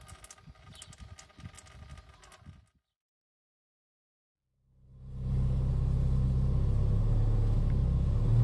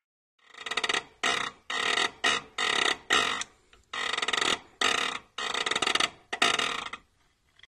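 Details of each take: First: Peugeot 306 S16 BV6 after clutch job (self-adjusting cable, pull-type release bearing) and gearbox oil refill: engine steady low rumble, pedal released with no noise or creak; clutch working quietly. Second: Peugeot 306 S16 with BV6 gearbox and a self-adjusting cable, pull-type clutch: loud, harsh creaking squeaks in bursts each time the pedal is pressed and released. At first only when hot, now cold too; the clutch still works fine.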